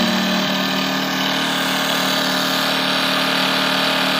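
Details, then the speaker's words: Champion 2000 W inverter generator, new, mic very close, off economy mode: loud, steady high-pitched drone at constant speed, no surging, misses or rattles; normal running. "92 decibels on economy. Current value is 86-ish."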